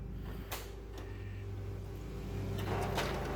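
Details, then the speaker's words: M602 printer during warm-up: steady hum with clicks every half second to second, then paper jams at the toner cartridge. Suspected the drum engagement is not rotating the drum properly. "And right away, you can hear this one makes that same weird humming, clicking kind of noise that the other one does."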